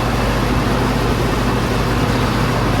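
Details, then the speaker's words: Vintage fan, rust-free, kept boxed and run every year or two, on strong high: steady even rush of air with low motor hum, no ticking, scraping or wobble; normal running. "And this, again, high, you know, that's for drying paint right there."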